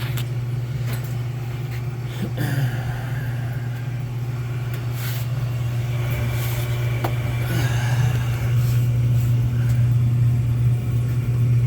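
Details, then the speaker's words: Smith oil boiler with indirect water heater, back running after a no-heat call reset by switch; high vent and dripping part fixed, low-water cutoff badly placed: constant low burner roar, steady hum, faint clicks; water heater and two zones heating normally. "Alright, so got everything back, coming back nice and hot, water heater and 2 heating zones."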